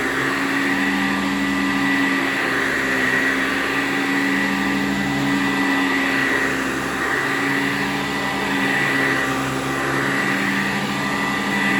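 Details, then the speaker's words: 1987 Eureka Sanitaire SC648-B metal-motor upright vacuum with new belt and freshly greased bearings: steady whiny motor tone with rough, wavering rumble believed from the old original brush roll, over 10 years old, rather than bearings. "most of this noise that you're going to hear that might sound like bearing noise is going to be from the brush roll because i believe this might be the original one"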